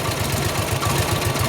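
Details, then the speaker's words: 1953 Harley 74ci panhead, cold, just started after flooding, no choke: V-twin lopes with uneven, lumpy pulses at fast idle, running a little lean and rough before a two-click carb adjustment. "Ain't good, didn't help it."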